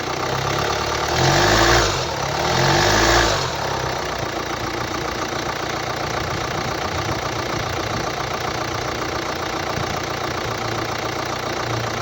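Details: 2011 Hyundai ix35 (F5D14), 2.0 diesel D4HA, 184 PS, 180,999 km: after a couple of revs it idles with a steady knock about three to four times per second, attributed to a defective engine control unit.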